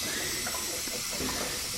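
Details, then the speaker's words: Mazda RX7 turbo: a loud, steady hiss with a wet spitting edge as air escapes through holed welds on the manifold and its side. These big boost leaks possibly contribute to turbo lag. "they can leak oh in the manifold we have a leak there as well and down the side so we have got a couple of leaks that may have been added towards my lagginess of this turbo"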